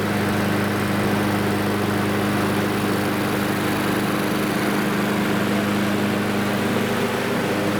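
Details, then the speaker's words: Lawnmower single-cylinder engine after its auto-choke arm, pushed too far toward the carburetor, was bent back toward the muffler. It started on the first pull and runs at a steady, even drone with no misses or surging. "So you can see it started with the first pull once that choke lever was fixed."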